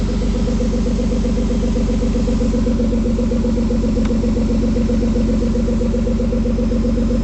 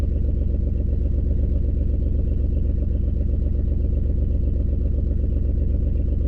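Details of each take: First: 2003 Ford Escape at idle after fixing the cylinder 4 misfire: steady, even idle around four beats a second with no stumbles or shaking; engine running healthy. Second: 2003 Ford Escape with a constant misfire, onboard monitor flagging cylinder 4, check engine light not flashing, loud exhaust leak: uneven, low, thumping idle with a steady stumble about every other second. A bad coil is suspected, not confirmed.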